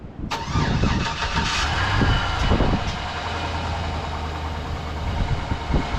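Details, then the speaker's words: 2005 Chevrolet Silverado 1500 5.3L V8 (GMT800) with a new battery, run briefly with no fluid: cranks, catches cleanly within a second and settles into a smooth, even low idle; no lifter tick yet. "So these sometimes have lifter ticks, but this one doesn't have a tick yet."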